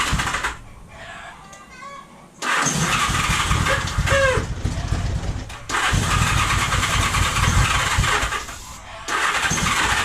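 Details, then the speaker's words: 1978 Honda Goldwing, 45 years old and sitting idle for years, choke out with a weak battery: the engine catches in short bursts of a few seconds, then dies back to quiet, running only on starting fluid. The fuel pump is to be cleaned next. "there we go it fires it runs it's running i killed it with starter fluid"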